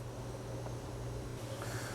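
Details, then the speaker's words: Allavino VSWR177-1BWLN 177-bottle wine fridge that had no cooling, during R134a charging, suction line cooling: the compressor, previously running in a vacuum, now pumps gas with a steady low hum and firm even drone; running normally. "I also noticed the compressor is starting to make a little bit more noise, which is probably a good sign. Before it was essentially running in a vacuum and just kind of doing a lot of nothing. Now it's actually pumping some gas."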